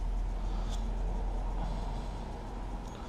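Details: Suzuki GSX-R1000 K5/K6 at idle after the cam chain tensioner fix (tensioner reset and reinstalled). Steady, even idle with no rattle or ticking; the cam chain sounds quiet and healthy.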